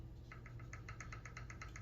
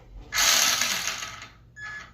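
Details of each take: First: RC car after replacing worn parts, motor remounted bottom bolt first then top to set pinion-spur mesh: light even ticking seven or eight per second over low hum, slight click judged just right; normal gear mesh. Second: RC car rear end spun up after new bearings and replaced steering servo: high-pitched gear whir with gritty clicking chatter that comes and goes with throttle bursts; owner unsure whether rear end or gears, abnormal gear noise.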